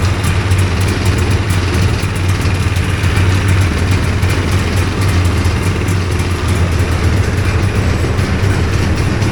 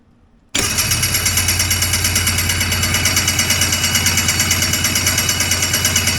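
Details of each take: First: Two-stroke hovercraft engine, newly fitted coil, carbs sorted after trial and error, holds an even, steady idle with a consistent low drone, no stumbling or surging, while warming up; sounds good, normal idle. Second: Homebuilt Hurricane hovercraft two-stroke engine after a new coil and carb work, with fuel dripping from the carbs and the fuel supply unhooked: it catches, then runs with an uneven pulsing beat about three a second. The engine is flooding.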